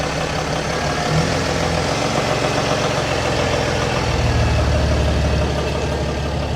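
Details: 2008 Mercedes-Benz GL320 CDI diesel after a muffler delete and radiator/coolant reservoir repair: deep, even diesel rumble through loud open exhaust, low note lifting briefly midway; engine runs smooth and healthy.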